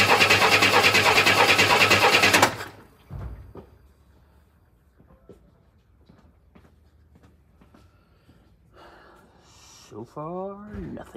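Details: 1962 Chevy II with a new Precision fuel pump just fitted and the coil unhooked: steady cranking at about three turns a second for two seconds, no catch.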